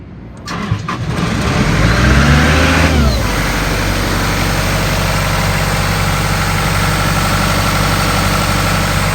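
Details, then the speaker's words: 1996 Ingersoll-Rand air compressor, diesel engine, 1006 hours on meter, some rust on the body: short crank, quick catch and a rev settling within three seconds into a steady, even idle; starts right up and makes air, normal. "motor sounds good it starts right up and it makes air"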